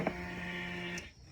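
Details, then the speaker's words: 2005 Polaris Sportsman 700 EFI ATV, ignition on without cranking to prime a new Quantum in-tank fuel pump, regulator and filter replacing the worn OEM pump. Steady low electric hum for about a second, then cuts off cleanly. Normal fuel pump priming. "Okay, quantum fuel pump and fuel filter are in. Priming up the Polaris. Sounds good. I don't think I've heard that before."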